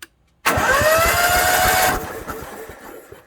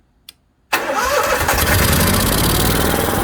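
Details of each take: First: Onan 5500/7000 Marquis Gold RV generator with spark plugs removed, after carburetor cleaning and repairs: fast, even cranking pulses about 1.5 seconds, no binding or grinding; previously it would not turn, now turns over freely. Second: Onan 5500/7000 Marquis Gold RV generator on first start after service: steady but slightly uneven, ragged beat; running lean and starving for fuel.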